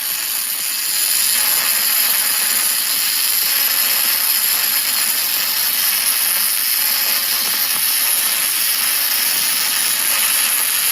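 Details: ArcCaptain MIG 250 running MIG spray transfer for repair welding on a Caterpillar grapple bucket, a high-heat mode with deep penetration and shielding gas: a smooth, steady hiss with an even buzz and no crackle or popping; normal spray transfer arc.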